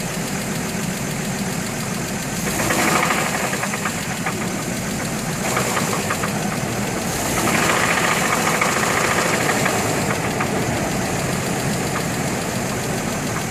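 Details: 2003 GMC Envoy at idle with a dull, fairly regular knock three or four times a second; compression 180 psi on all cylinders except #3 at 150 psi; new plugs, cleaned throttle body; source unknown.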